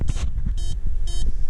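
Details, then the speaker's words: Ignition interlock breathalyzer (DUI blower) in a Pontiac G5 beeping after being bypassed; unplugging it makes it beep elsewhere, so it keeps beeping while driving until removed. Three sharp, high electronic beeps about half a second apart over low cabin rumble. "so this beeps and if you unplug it it beeps over here so you're gonna have to be driving like that until you get this thing taken out"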